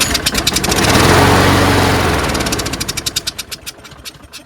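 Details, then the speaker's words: Craftsman 22-inch self-propelled mower with a Briggs Quantum 6.75: fires strongly for a couple of seconds on starting spray, then pops and dies. It won't restart without spray, and a dirty carburetor is suspected. "There you go. It sounds good, sounds strong, and see if there is gas in it. So obviously the carburetor is probably dirty, which is why it doesn't stay running."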